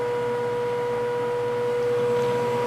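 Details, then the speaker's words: Pentium D system booting with a Seagate ST3 2420A hard drive showing a SMART read error rate warning, CPU at 37 degrees: steady mid-pitched hum with a fainter higher tone, an unusually loud drive drone. "one thing that I miss about hard drives today is the um the fact that you can hear the head Stacks in them when they're accessing and you can tell when they're not working properly"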